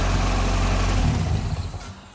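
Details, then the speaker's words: Barn-find Ford RS Cosworth run briefly without hoses after a new timing belt and water pump, ignition timing corrected from one tooth out: steady, even low engine note with no miss, fading as it winds down; normal running. "that really has made a difference getting that timing bang on because it sounds completely different"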